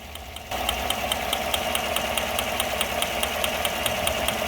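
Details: Chevy 5.3 V8: a sharp, even tick, about two or three a second, over a steady idle, sounding like lifter tick; said not to be cam, lifters or anything mechanical.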